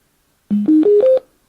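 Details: AUKEY Bluetooth speaker turning on: four clean rising beeps over about seven tenths of a second; normal power-on chime, nothing amiss.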